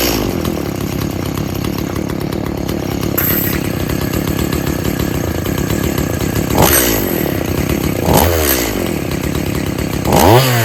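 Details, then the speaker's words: About 19-year-old Stihl MS170 chainsaw that needs a lot of fuel: rough drone, then three sluggish blips that sag back instead of snapping up; it bogs under throttle, possibly from a lean air leak, not confirmed. "right, so we obviously got a air leak."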